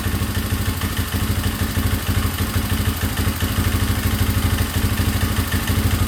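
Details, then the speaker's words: 2003 Yamaha Wolverine ATV single-cylinder at a fast idle, after a timing recheck: uneven, stumbling thump that never settles, running rough; owner suspects the carb and plans to order a rebuild kit. "Okay, looks like I'm ordering a rebuild kit, but I mean it runs."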